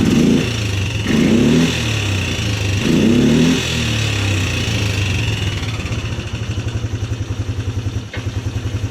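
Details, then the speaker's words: 2010 Polaris Sportsman 300 ATV, said to need full maintenance: the single revs up in a few blips, then settles into a steady, even idle thump of about three or four beats a second; runs normally. "but just so you guys can see how well this thing runs start it up for you guys"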